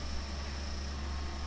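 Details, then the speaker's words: PowerBook G4 laptop during Mac OS X 10.5 install, checking install DVD: steady rushing drone with thin high whine, not the hard drive but the cooling fan, sounding terrible; owner plans to take it apart and oil it; noisy cooling fan. "that's the fan then there's a fan of this thing sound absolutely terrible"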